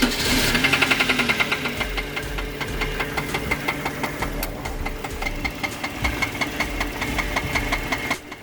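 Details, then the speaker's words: Suzuki Grand Vitara, on a jump start at idle: sharp metallic knock repeating about 160 times a minute, loud and persistent over the idle; unmistakable connecting rod knock, engine needs replacing. Connecting rod knock. "Okay, so you hear the terrible, dreadful Conrad knock. You see me, the unmistakable Conrad knock."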